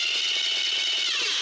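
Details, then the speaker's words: Starter with elongated mounting holes, mounted too far from the flywheel: harsh high metallic grinding rasp while cranking, then winding down; pinion-to-flywheel clearance too large, fixed by removing shims to move it closer. "What I have is a starter here with elongated holes, and this starter is actually too far away from the flywheel, and you can hear it."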